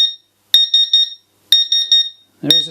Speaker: voltage measurement there pretty much nothing yeah this power supply i think is toast